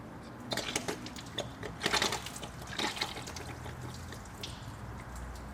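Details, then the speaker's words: Cooling system pressure tester released after holding steady pressure for 30 minutes with no gauge drop: short hissing bursts, then trickling and dripping as air trapped in the engine forces some coolant out. "To do that, you turn this and you can hear the pressure release. It's probably going to leak some of the coolant out."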